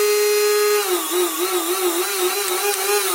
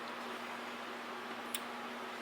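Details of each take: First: Castle Creations XLX ESC after crash-shorted-leads repair, bench-tested on 3S pack with alligator clips, no heavy load: clean wavering brushless motor whine spins up, holds, winds down twice; motor and controller sound healthy. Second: Castle Creations XLX ESC on bench supply at 11 V, drawing about 2.8 A across the power rails: quiet hum broken by two sharp clicks as the supply trips into overcurrent protection due to the shorted ESC.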